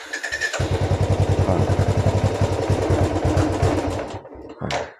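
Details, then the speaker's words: Royal Enfield Bullet 350 single: starts fine but the thumps run uneven and stumble when revved, then the engine dies; rust from the tank clogging the fuel filter and carburettor causes the misfire and stalling. "സ്റ്റാർട്ടിങ്ങിന് കുഴപ്പം ഉണ്ടാവില്ല പക്ഷേ നമ്മുടെ വണ്ടി rice ചെയ്യുമ്പോൾ കണ്ടോ missing വണ്ടി of ആയി കണ്ടോ"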